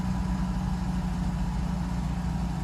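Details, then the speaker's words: Mercedes-Benz 600SL cold start after sitting a few days, very low fuel, check engine light on, replacement mass air flow sensor fitted; smooth, low, steady idle with no ticks, misses or hunting: healthy cold idle. "so this is the cold start as you can see rpms are gone"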